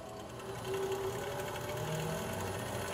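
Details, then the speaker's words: Treadmill being refurbished running fast after the front belt was given a wax finish to cure a squeal caused by dust and dryness: smooth motor hum and light whir, no belt squeal. "you don't even hear nothing"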